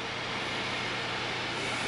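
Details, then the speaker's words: Both GTX 970 graphics card fans spinning again after being stuck with dust (card over 90°C at idle), owner thinks they need oiling: steady even airy whoosh with faint low hum, no ticking or scraping; healthy. "they needed oiling or something i can feel the heat coming off now that they started spinning so definitely need some maintenance oiling maybe"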